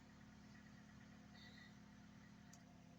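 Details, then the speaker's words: Ford Focus III that cranked but wouldn't start (wet plug, spark present, won't start on gas either) now running after the fuel pressure was confirmed holding about 3 bar; quiet, smooth idle, no knocks or misses, no warning lights; normal idle. "Ніякі контрольні лампи в нас не горять. Не світять. Автомобіль працює справно."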